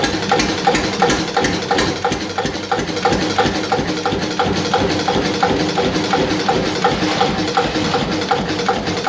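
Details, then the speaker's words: Witte single-cylinder diesel with advanced timing, idling at about 200–250 rpm: slow, even thumping with nothing knocking or missing, running very slowly and smoothly; owner guesses compression may drop a little at this low speed. "because i guess you're getting into that spot where maybe the compression's going down a little bit at a slower speed"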